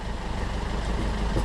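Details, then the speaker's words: Yanmar marine diesel on sailboat mid-Atlantic, just after fitting replacement eBay starter motor: low, even rumble at steady idle, no knocks or surging; running fine. "all right we are up and running a plus to our ebay starter motor"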